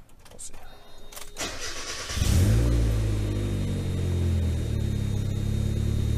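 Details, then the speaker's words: Turbocharged Mazda Miata started cold: cranks, fires and settles into a fast idle with a raspy, puffing exhaust note; an exhaust manifold leak from loose manifold bolts that had previously been replaced. "it's really obvious whenever um your Miata develops an exhaust leak well with a turbo um you can hear it it's a good change in tone"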